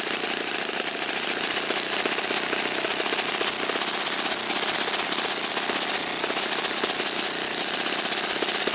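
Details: Saito FA-56 four-stroke glow engine, moderate-time, first run after teardown, cleaning and bearing replacement, on a 12x6 prop, OS F plug and 5% Omega fuel during a tuning and static-thrust run. A high, steady buzzing drone with no sag or misfire: normal run.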